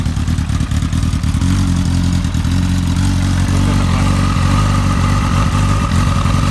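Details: Motorcycle with an ongoing idle problem, before spark plug replacement: deep, loud idle stumbling and surging unevenly, rough hunting idle of unknown cause; owner plans to try new spark plugs first.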